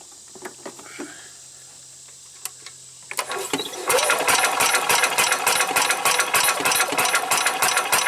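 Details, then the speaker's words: 1990 Club Car golf cart on a bigger deep-cycle battery, kill wire disconnected: brisk, even cranking near 200 per minute that never fires; no spark, new coil suspected but not confirmed. "still nothing get lost stupid wasps and now there's no spark again all right there's got to be something going on with this new coil"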